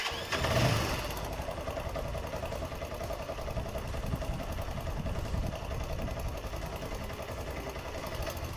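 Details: Motorcycle electric starter after cleaning carbon brush dust from inside the starter motor (brushes still usable), reassembled: short crank, then the engine catches and settles into a steady, even idle; starter engaging cleanly and working properly.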